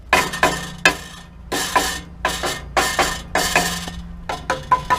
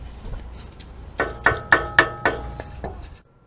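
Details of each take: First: Nissan Pathfinder muffler tapped by hand: tinny buzzing metal rattle from the heat shield, whose cheap factory ring clamps rusted out and fell off. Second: Nissan Pathfinder muffler heat shield after its loose clamp was replaced with a hose clamp; crisp metallic taps ring briefly and die away with no buzzing, so the idle rattle is fixed.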